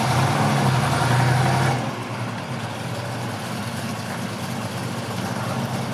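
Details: 1965 Ford Mustang coupe, rebuilt 289 V8 with cam, 4bbl, electronic ignition, dual exhaust: deep steady idle with slight regular cam lope about three pulses a second, smooth and healthy.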